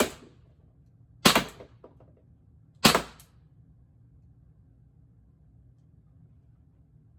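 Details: Less-lethal mag-fed air launcher firing shaped ammo, test after about a one-and-a-half-turn adjustment meant to stop jams: two sharp, clean cracks about 1.5 s apart, cycling and feeding normally. Normal firing.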